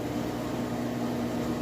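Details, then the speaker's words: Whirlpool Cabrio high-efficiency washer on final high-speed spin with a very heavy load; steady even whir with the drain pump humming underneath as it kicks in, no knocking, rumble or grinding. Clean, smooth spin. "Okay, here we go on the final spin speed. As you can see in here, sounds great. That's the drain kicking in there."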